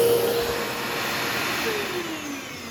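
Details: Old bagged Powerglide Ultra vacuum, stored in damp, harsh conditions with many broken parts: a rough hissing whine over the motor hum as it slows down, raspy carbon-brush noise because the armature is very dirty and the commutator needs polishing, though it still runs okay.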